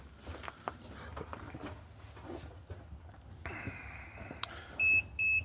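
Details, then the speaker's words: 1971 Dodge A500 dump truck, during no-start troubleshooting after a fuel leak: shop noise, steady high whine, then three sharp high electronic beeps with the key off; source unknown, somewhere underneath. ">> Oh [ __ ] it's something's beeping >> underneath."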